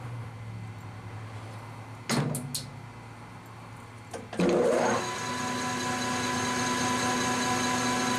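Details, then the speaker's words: Lathe turning a part after setting tool height with a shop-made cutter height gauge: a few clunks, then a steady unbroken cutting tone with no interrupted-cut chatter; tool cutting on axis, smooth continuous cut. "good sign doesn't sound like it's an interrupted cut so it sounds like we're pretty much on [Music] axis"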